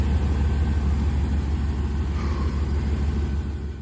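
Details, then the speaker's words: OBS truck that only clicked, started after replacing the starter and a blown 40 A fuse: low, smooth rumble at steady idle, no clicking, knocking or stumbling; normal idle. "Well, got it started. It's about time."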